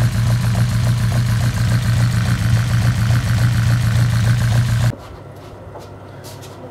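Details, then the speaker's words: Honda Integra DC5 Type R at idle, running as if on three of four cylinders, one coil unplugged during test: lumpy idle with regular stumble three to four times a second — single-cylinder misfire persists; spark plug swap next. "so we've still got our issue and what i'm going to do now i'm going to swap the spark plug from the cylinder that's failing and put it in this cylinder here"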